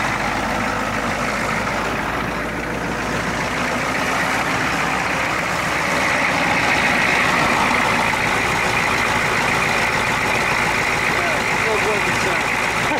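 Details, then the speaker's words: 1991 Ford F250 IDI diesel, warmed up, fresh air filter, running at a raised high idle; previously stalled at this point. Steady diesel clatter, even and unbroken, no hunting or dying; holding fast idle fine. "high like a high idle set now oh yeah I think she need to get her legs stretched"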